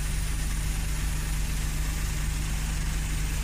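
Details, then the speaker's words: Suzuki Every wagon idling with the aircon on: a smooth, even low idle rumble, the engine not shaking, and no ticking at all. The engine sounds healthy. "Naka-on yung aircon mga kajod. Kahit naka-on na yung mga aircon mga kajod, hindi pa rin gumagalaw yung makina natin. Kaya ibig sabihin, okay kung pagka-pili ko."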